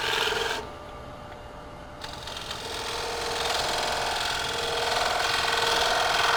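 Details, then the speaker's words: Rough, rapidly repeating rasp as a gouge cuts a spinning wood platter, the tool chattering against the surface during cleanup of the bowl edge. "here you can hear the chattering from the crab so this might be a design"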